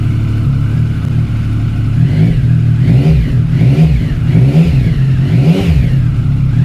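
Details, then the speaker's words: Triumph ST1050 with 28,000 miles, cold start: an even, smooth triple idle with a few clean throttle blips and no knocks or rattles; it started on the second attempt and sounds healthy. "That sounds absolutely sick in a good way. Well, there you have it. I am absolutely fablasted. That sounded absolutely brilliant. No knocks, no rattles."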